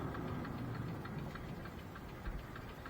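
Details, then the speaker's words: Irish tipper truck at diesel idle, camera in a case possibly muffling the mic: fast indicator ticking about three a second, like a blown bulb, but no bulb is out; rear indicators had been changed to sequential Audi-style units. "now we can hear the indicator clicking like mental there as if one of the bulbs is gone but it's not"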